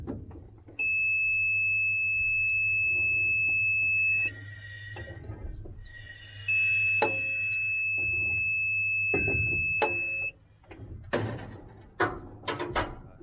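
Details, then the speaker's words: 1949 Chevrolet 4400 truck, not run since the mid-1990s. Continuity tester is clipped to the ignition coil negative and the block while the engine is turned by hand from the back. Two long steady beeps confirm the points closing. "I'm going to spin the motor from the back and then you'll hear a beep as soon as the points are closed."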